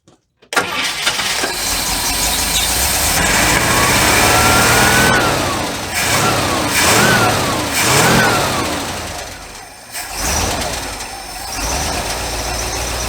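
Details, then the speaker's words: International Harvester LB 3–5 HP hit-and-miss engine with choke still closed, running rough and surging while gas drips from the carburetor; a hanging float is flooding it, steadier after tapping. Rough running. "okay we got a flooding issue yeah that float I think is hanging this gas is dripping out of the booster"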